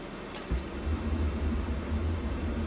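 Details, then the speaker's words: RV furnace with the cover and baffle refitted: the blower comes up with a low, steady hum and no rattle or scrape before ignition is attempted; normal operation. "so the blowers kicked on it's going to run for a little bit and then you'll hear it try and ignite"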